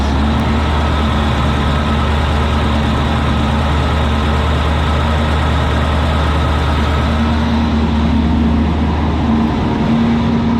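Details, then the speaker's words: 2002 Chevrolet Corvette C5 Z06 with LS6 V8, roughly 65k miles (uncertain), engine test at a wrecking yard: deep, even V8 rumble holds steady without ticks, knocks or stumbles; nice, healthy LS6 running normally. "Let's take a listen to that motor though. Nice, healthy LS6."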